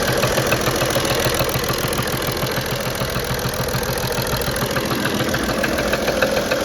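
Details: BMW 335d with M57 diesel, vacuum pump removed: a regular knock of 3–4 per second from the top of the engine at idle, with a new stumble on start. It improves as the engine warms; the owner suspects an injector, unconfirmed.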